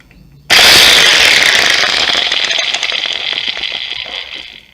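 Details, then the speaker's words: Angle grinder reported as not starting and making an ugly noise winds up to a harsh, rattling metallic scream that stays rough as it runs down. Worn, damaged bearing; the repair includes a bearing replacement. "Bueno pues sí vieron que hace un ruido muy feo entonces pues vamos a destaparla para ver qué es lo que es"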